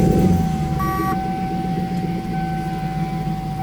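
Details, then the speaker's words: Lexus SC400, engine idling: steady thin whiny drone over smooth idle; power steering whine, owner suspects fluid needs replacing or worst case failing pump. "whiny you can kind of hear it in the background that slight whiny drone that's no good"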